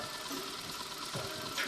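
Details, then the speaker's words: Honda Click 125i scooter idling after fixing no-start and no-charge caused by a broken wire; light even idle, fine patter, no misses; charging voltage rising to 13.3–13.4 V; normal idle. "Ayan umaandar na so test natin yung charging niya kung tumataas na ba"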